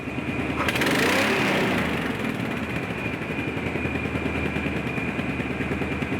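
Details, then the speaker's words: 1986 Chevy K10 Squarebody being revved then idling; quick blip then busy idle with steady tick-like popping about three per second, probably leaking exhaust manifold gaskets, not confirmed. "all right you can hear that popping and that's probably those uh exhaust manifold gaskets"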